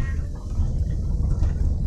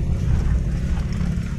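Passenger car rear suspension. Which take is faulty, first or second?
first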